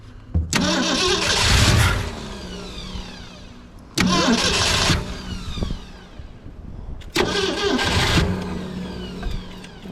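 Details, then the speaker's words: 1963 Mercury Comet 260 V8 with an old Autolite 2100 carburetor, not driven in 25+ years: three cranking bursts catch briefly but never run. Suspected fuel starvation; the carb needs a rebuild and the power valve is possibly blown. "are we not getting we're not getting I think the issue is just we're not just not getting enough gas"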